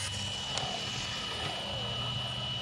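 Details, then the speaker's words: Arrma Kraton ExB RC car after differential adjustment, running: high steady motor whine with a rough, gritty rasp underneath; pinion loose with gear mesh too far apart, chewing up the spur gear. "that thing's making gear noise you should make sure there's no rocks in there i hear the gear making all kinds of noise"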